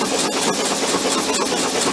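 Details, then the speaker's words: VW Beetle convertible parked since 1995, cranking with plugs out: fast even starter whirr with no compression pulses, oil pumping through; normal cranking. "Yeah, plus it's pumping oil through. I already checked it. Yeah, there's oil in it, which is good."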